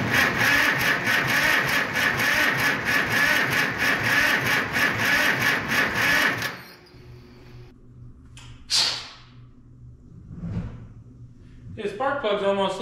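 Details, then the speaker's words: 68-year-old auction tractor that sat for years, with starting fluid sprayed and a charger on the battery: slow lumpy cranking for about six seconds with uneven compression beats and no firing. Owner suspects low compression from a stuck valve and plans a compression test. "Almost seem like they're not getting fuel, so you kind of got that lumpy crank, you know. So I think a couple of these cylinders, they really aren't getting compression that we need to get this thing fired up. We may have a step valve or something."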